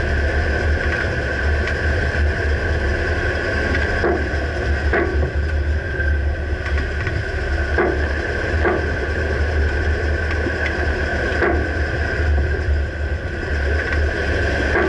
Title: Dodge Ram 2009 Clunking noise can't pinpoint - Rear Right suspension